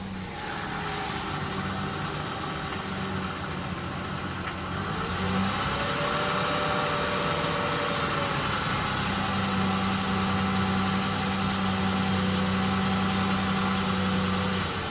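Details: 2000 Ford Ranger 4.0 V6 at idle: steady regular knock about three to four beats per second, starting about 20 seconds after startup; began after a cheap oil change, P1309 code after camshaft synchronizer replacement, no misfires recorded. Cause unknown.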